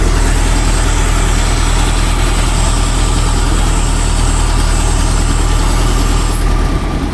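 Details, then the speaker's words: International Loadstar, idling with a vacuum line opened during a brake vacuum check: a steady low idle with a hissing suck and a slightly uneven beat. There is good suction, so this line is not the problem; idle drops back when it is reconnected. "Just got her fired up and I can hear it sucking already."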